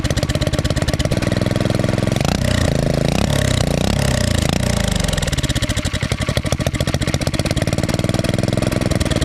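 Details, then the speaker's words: Turbocharged Predator single-cylinder engine, first start: rapid loud firing rises and falls with revs, rough and uneven; oil and fuel flying into the cylinder make it run rich and smoke heavily; about 8–10 psi boost made. "this is where all the smoke is coming from cuz all the all the oil and fuel just goes flying into the cylinder so you'll see that in a few seconds"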